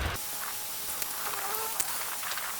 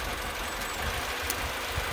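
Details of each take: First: Mini Cooper engine idling after a single-cylinder misfire was traced and fixed, with everything back in position: a steady, even idle hum with no misses or stumbles, smooth and healthy, before the error codes are cleared. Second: Mini Cooper at idle with one ignition coil deliberately unplugged: idle turns lumpy and uneven with irregular low thumps, tick-over slows and the engine rocks visibly because that cylinder produces no energy; a single-cylinder misfire, smooth again once reconnected.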